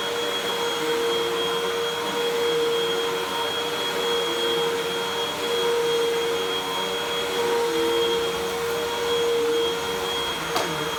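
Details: Salvaged 2012 Hoover WindTunnel 2 Rewind UH70820 vacuum, first power-up: smooth, constant motor whine holding pitch with no grinding or rattles; runs fine though it smells terrible.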